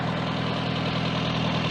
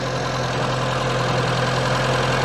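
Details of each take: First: Austin Allegro 1300 Estate idling after resetting valve clearances and setting ignition timing to about 8–10 degrees, vacuum advance still disconnected: steady, even low hum with no ticks, misses or knocks; normal idle. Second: Austin Allegro 1300 Estate at idle during ignition timing adjustment, timing still advanced at about 20 degrees before the distributor is turned back: a faint regular tapping about four per second that smooths and rises slightly as timing is eased; rough idle.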